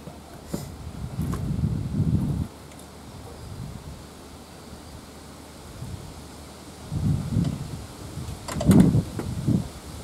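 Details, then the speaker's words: Ford 8N tractor, sat in a field about 7 years with the intake and exhaust manifolds open, after fitting a used coil and spraying starting fluid: short bursts of slow cranking that never catch; cranks but will not start. "well still nothing guess let me check for spark and we'll start there again"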